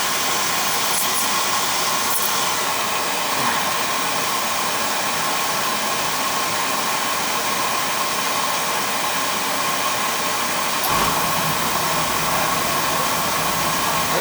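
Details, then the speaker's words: Beckett oil burner that wouldn't fire or reset, after replacing a slipping plastic pump coupling: steady even flame roar with constant fan hum, no grinding or cutting out; burner now firing normally. "go there's a good sound for you right that's an easy one easy when you know what you're doin freewheelin there"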